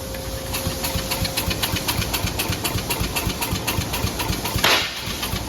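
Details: Cub Cadet small single-cylinder engine started after draining oil and gas and refilling with new oil and gas; quick even popping beat about four per second; runs steadily, normal.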